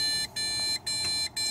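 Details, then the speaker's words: ASUS Sabertooth Z77 PC with one Corsair Vengeance 8GB RAM stick and no graphics card: evenly repeating high half-second beeps, a six-beep POST error, then the PC shuts itself off, which is new. It won't pass POST; the cause turned out to be motherboard failure. "and that's six is the beeps that I was referring to that's what I'm commonly getting as the air it's not letting it get past post"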